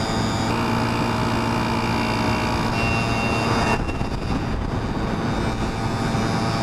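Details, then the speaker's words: Yamaha QT50 two-stroke moped with ram air, free-flow exhaust, 70 main jet replacing a 72, at full throttle uphill around 25–27 mph: loud buzzing with uneven burbly beat, four-stroking from rich mixture; slower than before. "nope slower though four stroking uphill that's a sign of rich"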